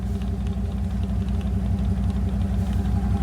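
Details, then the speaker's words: Chevy Suburban with 6.5 turbo diesel, after new starter installed, cooler not hooked up: fires right off into even, deep idle clatter about three beats a second, no misses or knocks; normal idle. "oh yeah she barked right off to life oh that's a good motor"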